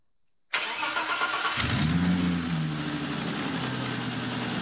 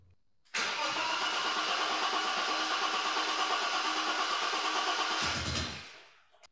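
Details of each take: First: BMW E30 325i Touring after new engine and fuel-supply parts: short crank, catches within about a second and settles to an even idle; starts much better, though a large leak was seen at the throttle body. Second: BMW E30 325i Touring restoration after a new fuel pump, fuel filter, air and oil filters, spark plugs and HT leads: starts and idles lower but hunts and feels unhappy; owner suspects the pedal box or throttle cable.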